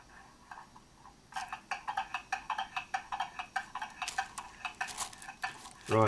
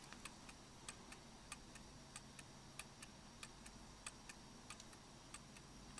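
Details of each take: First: German mantle clock movement during a service, out of its case, pendulum on, going train wound, pallets oiled, beat amplifier attached: crisp amplified ticks about four a second, tick and tock unevenly spaced; out of beat, needs adjusting. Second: German mantle clock movement after beat adjustment with a screwdriver, heard through a beat amplifier: crisp, evenly spaced ticks about three a second with no limping rhythm; running smoothly in beat.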